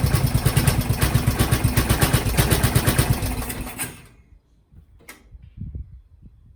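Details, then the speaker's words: Briggs & Stratton 12hp single-cylinder on an MTD Lawnflite lawn tractor: quick even patter about four beats a second, then fades and dies when any throttle is opened; owner suspects a blocked carb jet. "Why is that dying? Oh, it doesn't like full throttle. Okay. Or any throttle."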